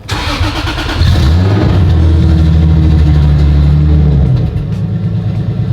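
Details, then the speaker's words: Turbocharged Lexus IS300, first start after about 14 months of build work: the engine catches after a brief crank and settles into a steady, even idle with no misses. Normal idle, though an intermittent miss was noted earlier. "It's idling. Hey. I'm not doing nothing, so that's good. All right. I'm so happy that this car is idling."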